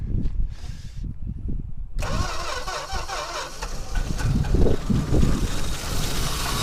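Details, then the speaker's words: 1963 Dodge 330 engine, cylinders pre-lubed, first start in 25 years on starting fluid: brief cranking then catches and runs lumpy and uneven with irregular pulses; rough running after long storage. "it was kicking over and this things about to run first time in like 25 years that's running man that is running it's running it's running man oh man it's going"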